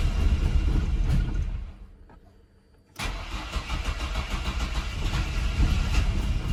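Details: Chevrolet S10 unrun for 5 years, after a fuel tank swap, with fuel at the line: steady cranking at about 3.5 turns per second, a pause, then more cranking that never catches. Owners suspect a bad-ethanol-plugged fuel injector, unconfirmed.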